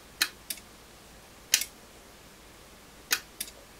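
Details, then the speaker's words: Relay in a DAB Jet 82M water pump GPS controller on the bench, clicking crisply in quick pairs each time it is switched, in a quiet room. This was checked while diagnosing a pump that would not shut off; the relay switches normally. "could it be the relay is jammed i heard it clicked though sure had a click for that really yeah it realized clicking"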